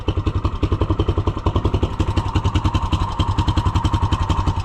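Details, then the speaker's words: Neighbour's side-by-side UTV, engine running. A lumpy idle with uneven thumping pulses, three or four a second, sounding ready to stall; it accelerates fine but idles poorly, cause unknown. "It doesn't idle worth a crap. Also, I don't think his parking brake really works. So, you hear that? Accelerates [clears throat] good. Doesn't run worth a darn at an idle."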